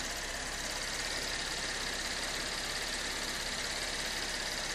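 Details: 2013 Chevy Impala after water pump and power steering pump replacement, coolant low and warming up to temperature: smooth, unchanging idle with a soft steady hiss, no ticking or whine; normal idle.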